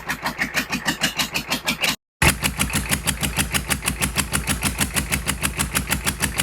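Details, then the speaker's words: GEP/Navistar 6.5 diesel, rebuilt (Scat crank, 30 over, moly pistons), Stanadyne DB2831-4911 pump, on a stand just started after glow plugs, on the mechanical lift pump only with no electric pump: steady even clatter about 190 pulses a minute, no misses; normal idle. "1 2 3 4 5 6 7 8 9 10 without the electric pump. That's just the mechanical pump in the motor."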